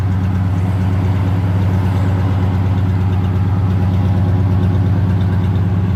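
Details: 1985 Oldsmobile Delta 88 with newly finished exhaust, pipes run out the back without tips, before a major tune-up: deep, even idle rumble with no misses or knocks; healthy idle and exhaust note.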